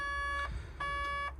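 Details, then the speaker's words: 140 LCR excavator called out for an SCR malfunction (knock sensor suspected): repeating warning beeps, about half a second on, over the diesel's low rumble, with many warning lights; catalyst (AdBlue) tank level low, needs AdBlue. "Beeping, so it's not happy. Oh, look at all of them lights. It's not, is it? It doesn't just want a splash of AdBlue, does it?"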